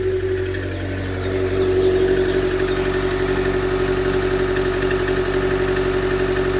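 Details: 2013 Chevy Volt with P0101, poor mileage, power loss above 70 mph and engine shutdowns; MAF, plugs and coil pack were replaced without a fix. Lumpy, stumbling idle pulsing about four beats a second, a rough misfiring idle of unclear cause.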